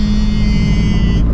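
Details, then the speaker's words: 2013 Scion FR-S, built FA20 forged short block, Greddy T518Z turbo at 17 psi, cabin at about 40 mph on R888R semi-slick tires all round: steady low droning road roar, no rhythmic thump; normal tire noise, louder at high speed. "this car does actually have a little bit of road noise because I am on the r88r tires all the way around so you can kind of hear it"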